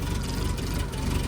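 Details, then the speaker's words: 2010 Doosan propane forklift, 3,353 hours, with surging and slow starting: low, uneven idle and whole engine shaking as the vaporizer/regulator bottom screw is turned slowly; owner suspects fuel mixture. Rough running. "As I turn it extremely slow because my hands are all, but see, that's how it was. And the whole engine is like shaking."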